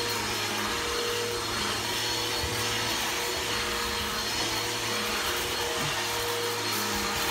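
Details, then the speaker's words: Bissell PowerForce Helix 1240 upright vacuum (newer upgraded version) running: steady whirr with a dry rumbling whir and thin whine; brush roll bearings going out, not the motor, so the brush roll needs replacing soon. "you can hear the bearings are going out in it um not the motor the brush roll um the bearings are out in the brush roll so the brush roll need to be replaced soon"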